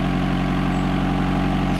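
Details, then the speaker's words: 1995 Honda Accord 2.0 petrol automatic, idling just after a cold start after sitting a while at about 25°C: starts instantly and settles into a steady, even idle with no knocks, misses or hunting. A healthy engine. "Voilà, ça démarre tout le temps au quart de tour, il n'y a rien à faire, quoi."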